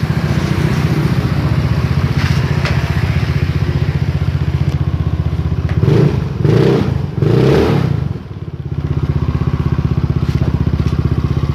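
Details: Yamaha Mio J scooter after diagnostic-tool repair of stumbling with MIL blinking 15 times: steady even idle thump about four beats a second with a brief throttle blip, settling back to smooth idle; normal idle.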